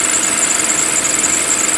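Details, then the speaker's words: 2007 Toyota 2GR-FE V6 (about 25,000 miles in 7 years) warm idle after a cold start: busy, fine metallic valve-train rattle, considered normal for this engine with mileage. "that is known as the 2grfe V6 engine from Toyota they all sound like that when they get some mileage on it it means nothing that's just how they run"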